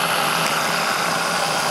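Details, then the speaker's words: Saito T2DR steam engine on B2F boiler, steam exhausting through drain tank and up the stack: even, fast hissing chuff with steady exhaust rush, no knocks or stumbles; engine running nice and smooth. "steam comes out of the engine drains out into the drain tank and then up the stack so you can hear it engine's nice and"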